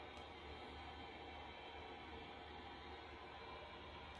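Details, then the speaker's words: Chinese diesel air heater in a tent trailer, about 12 °C against a 15 °C target: hums low and steady at reduced output, throttled down because the fuel level was too low for the pump; adding fuel resolved it. Fuel starvation. "so something happened um it sounds like it's turned down a bit um it's only reached 12 degrees c"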